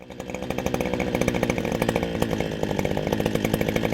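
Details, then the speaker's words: Small engine running lean in cooler, denser spring air: a fast, crackly idle that drops to a lower, steadier beat as the low-speed screw is opened 1/8 to 1/4 turn anticlockwise; that RPM drop is the target. "at we're in spring and it's cooler, the air is denser, your engine will run leaner with the same amount of fuel. So with this said, tip number 4 is to open the low speed screw, that's anti-clockwise, about 1/8 to 1/4 of a turn."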